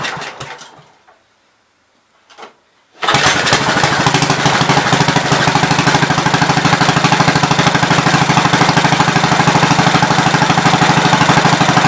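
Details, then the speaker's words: 1970 Gravely Commercial 8 single-cylinder tractor, running again after years of sitting: catches and settles into a steady, even beat. A replacement recoil bolt that was hitting was fixed with a washer; no more strike. Normal running. "okay it's not hitting anymore exactly where i want it"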